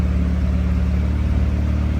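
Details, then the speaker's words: Honda Civic EG hatch freshly swapped engine idling in the shop while warming up, waiting for the thermostat to open; coolant hose slightly pinched, fresh oil pan gasket; smooth, constant low drone with no misses, knocks or ticks, a clean, healthy idle. "Yes, sir. Sheesh. Sounds so good."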